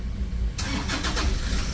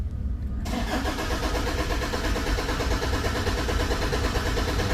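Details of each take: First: Toyota Fortuner diesel, bought used, had stalled while driving and would not start; now cranks, catches and settles into a steady low idle, starting normally. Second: Toyota Fortuner diesel that died while driving: cranks steadily, about three beats a second, but never fires; rail pressure does not rise despite replaced SCV valve and okay injector values; no fault codes stored.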